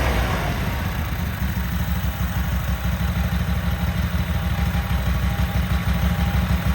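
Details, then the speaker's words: Cub Cadet Super 2284 garden tractor test fired with covers off and bolts missing, after water was drained from its tank: deep, even beat of about three pulses per second with no misses or knocks. A good-running motor. "We have a good motor."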